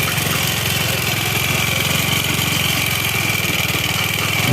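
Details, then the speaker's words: Yamaha Xeon automatic scooter with a harsh rattling metallic clatter over a fast rough idle; found to be a damaged cylinder block and a burnt, scored piston, with the block to be machined. "Jadi, untuk motor Xeon milik teman saya, kerusakannya ada di blok silinder, teman-teman, dan pistonnya juga terbakar dan tergores, yang menyebabkan bunyi klik."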